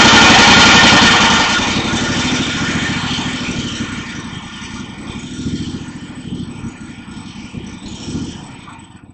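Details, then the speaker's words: Kohler Command Pro engine on a Craftsman GT5000 mower, after freeing a stuck intake valve with lubricant: engine catches and settles into an even, steady putter with no miss or clatter; normal running. "Looks like the valve was sticking partially. And so, let's give it a try again. Yep. Sounds much better."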